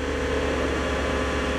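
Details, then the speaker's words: Salvage-auction car running at idle: steady engine with a constant mid-pitched hum over it that changes with RPM; owner first suspected the A/C compressor, then ruled it out; possibly an accessory or the transmission, unconfirmed. "because that noise, it changed with RPM. Could be an accessory, I don't know though. That could be in the transmission or something. It's really hard to tell. That was a bizarre sound."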